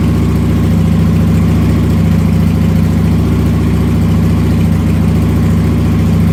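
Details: Motorcycle started with throttle blipped through its rough idle spot, after which it settles into a steady, even low thrum with a regular beat and no misses or stumbles; it then idles and runs fine without stalling.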